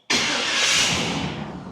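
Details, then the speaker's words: 1964 Buick LeSabre with LS engine swap, first start after a fuel pump was fitted: a few cranks, then it catches with a sudden loud burst and settles into a rough, fading run; still has problems. "Yay. The champ. She's sort of alive. Yeah, it's not without its problems yet, but it's working."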